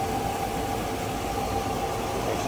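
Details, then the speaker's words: 1959 Oldsmobile Super 88 two-door Bubbletop heard under the open hood: steady, even idle with a smooth low hum and faint valvetrain tick, no misses or knocks; runs and sounds very good, normal idle. "Car runs and sounds very good also."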